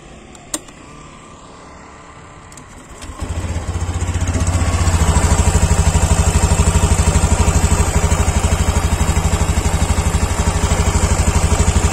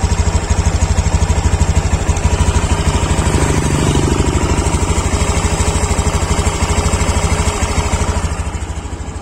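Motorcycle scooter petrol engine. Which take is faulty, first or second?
first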